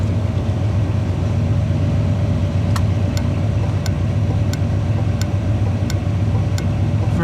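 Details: 1981 Chevy truck with the engine idling at full voltage, second HM 552 thermal flasher replacing the factory Tung-Sol 224: crisp, even clicks about 1.5 per second; cycling normally.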